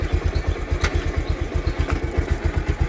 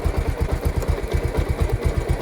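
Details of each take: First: Bajaj Pulsar motorcycle at 68,651 km, idling in gear: steady thudding beat with faint irregular metallic ticks on top; drive chain noise suspected, not confirmed. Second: Pulsar motorcycle at idle with gear engaged, after chain cleaning/service: steady, even low single-cylinder thumping with no slap, rattle or grinding from the chain, sounding like a new chain with no extra noise.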